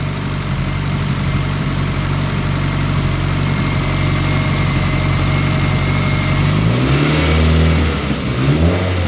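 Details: Honda CR-V turbo build on base map, 75 psi oil pressure: steady low deep drone with smooth rise and fall of revs, even firing, no knocks or whistle; much deeper than raspy, whiny pre-turbo sound; normal idle and light revving.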